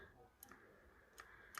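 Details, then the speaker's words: Yamaha MT-10, throttle cancel switch for cruise control: a few small crisp plastic clicks as the switch makes contact normally; last switch in the circuit to check when cruise control fails. "and then when this comes back it rests and then when we throttle cancel you can hear it make contact"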